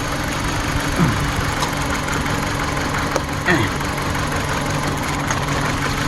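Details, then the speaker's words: 2014 Dodge Journey 4-cylinder with check engine light, coils unplugged one at a time at idle: rough, stumbling idle unchanged with coil 1 unplugged, pointing to cylinder 1; nearly stalls with coils 2 and 3 pulled; misfire, fixed with plugs and coils. "We're going to unplug that to see if it gets better. It does not. It doesn't even change. So that tells me the problem is probably in cylinder number 1."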